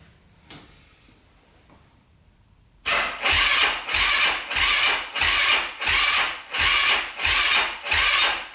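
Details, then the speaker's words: 2005 Yamaha YFZ450 quad, first start attempt after big-bore rebuild: starter labours slowly, about one and a half compression strokes per second, not spinning fast enough, never catches; later ran with glowing red pipe, apparently lean. "doesn't sound like it's spinning over fast enough here"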